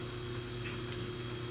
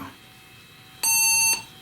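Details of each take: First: Compaq LTE 5000 series laptop during a battery rebuild and calibration: a steady low groaning drone with faint tones and no speed change, as these models have funky-sounding fans. Noisy cooling fan. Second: Compaq LTE 5000 laptop after a NiMH battery rebuild, powered on: a single clean, high half-second beep with nothing following, and no dead CMOS battery error. It passes its self-test normally.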